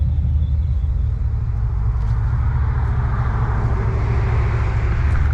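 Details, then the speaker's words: High-mileage 21-year-old GMT800 Chevy Silverado/GMC Sierra 1500 V8 with newly fitted used long-tube headers: deep, steady low rumble, even beat, no misses or ticks; normal smooth idle. "This thing sounds good. Yeah, I am a fan. Yep. I am a fan. It sounds great."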